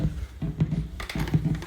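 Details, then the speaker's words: TC Electronic June-60 chorus pedal into an amp: faint irregular low pops and thumps over quiet hum, constant regardless of cables, power source, 9V battery, mono or stereo, or distance from the amp. "all the popping still keeps happening it really sucks"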